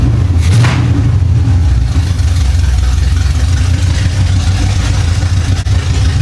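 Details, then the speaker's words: 1975 Chevy Monza with swapped-in 350 small-block V8, sitting about 20 years, just started after fixing the distributor: deep, lumpy idle with steady burble and a quick rev; fires evenly, sounds healthy. "He sounds mean. Wow! Oh man! That sounds awesome back there."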